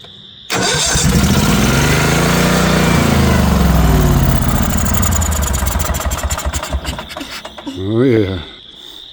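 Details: Northstar 10000 10 kW generator from auction, condition unknown. Cranks healthily, catches briefly and unevenly on starting fluid, then dies. Suspected no fuel getting through, bad old fuel or dirty carbs; not confirmed.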